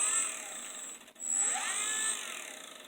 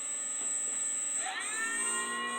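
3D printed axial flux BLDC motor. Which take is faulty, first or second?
first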